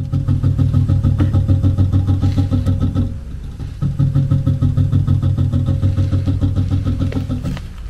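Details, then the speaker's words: HVAC variable speed blower motor in fan mode: low droning hum with an uneven pulsing throb about three per second, motor trying to spin and labouring; failing blower motor, replaced afterwards. "So, in this video, I'm going to quickly show you um an issue for a variable speed motor. Basically, a symptom of failure."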